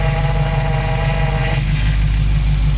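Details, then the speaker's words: 1974 Dodge Challenger with Gen 3 Hellcat Hemi swap, Toyota Tacoma 4.0L power steering pump, some air in system, tester valve closed to relief at about 1100-1150 psi: thin whine over steady idle then drops away; normal pump loading at relief. "I'm going to turn it in there's still some air in here so it's going to jump around a lot let's see what we got you'll hear the pumps start loading up and winding there we go"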